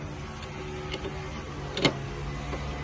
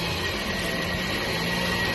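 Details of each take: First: Toyota Vios after alternator whine repair with a non-genuine replacement alternator fitted: quiet, steady engine hum with no whine above it, a few handling clicks; engine and alternator sound normal. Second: Toyota Vios with engine running: steady high whine over the engine whir from a faulty alternator, which was then dismantled for inspection and repair.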